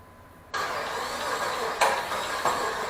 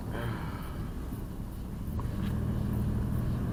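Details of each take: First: 2002 Jeep Liberty, first start of swapped 3.7 engine, intake wet from pressure washing: catches half a second in and runs uneven, surging every half second to second; rough idle from an O2 sensor connector not fully plugged in. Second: 2002 Jeep Liberty with swapped 3.7 engine on night road test, transmission shifting, no check engine light, temperature normal: low, even engine rumble under road noise with no misses or knocks, pulling smoothly; normal running.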